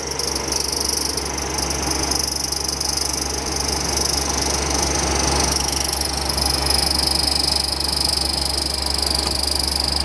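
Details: Sollich Temper VM machine: steady hissing run with a thin high whistle and faint uneven rasp; abnormal drive noise, bearing damage suspected but not confirmed.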